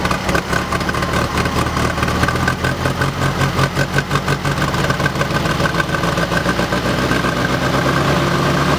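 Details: VW air-cooled 1600 DP flat-four idling unevenly with irregular pops and stumbles over a low rumble despite rebuilt, rebushed Solex 34 PICT 3 carb, new SVDA distributor, cap, rotor, wires and plugs; cause not found.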